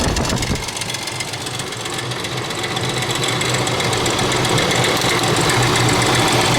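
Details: 2000 Ford Expedition 4.6, constant rattle worsening over about 6 months: loud, busy clatter like marbles in a can over the idle, about four per second; the timing chain is slapping against the housing.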